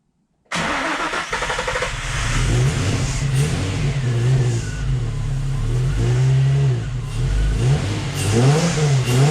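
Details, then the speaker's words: Nissan 350Z after suspected computer fault: catches after short crank, then uneven surging idle with revs hunting; idle terrible, owner suspects bad fuel. "all right idle is terrible non-existent but it's probably cuz of the bad feel how it runs"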